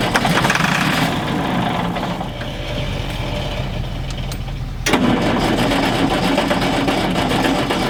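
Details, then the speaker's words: Galion T500 motor grader diesel, sat unused about 14 years since 2007, cranked with ether after a connection fix: rough, labored chug, then a brief louder surge that almost fires but won't keep running; a hydraulic line blew and there was water in there; fuel pump fault. "Well, it actually sounded like it was about to fire off right there."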